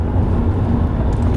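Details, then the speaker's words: 2007 Ford Mondeo Mk4 1.8 TDCi, about 280,000 km, driving on cobblestones: steady low road rumble, no knocks, clunks or interior rattles; suspension sounds tight and healthy. "Bun, ca să vedeți că chiar nu bate. Ia uitați, nu se aude nimic."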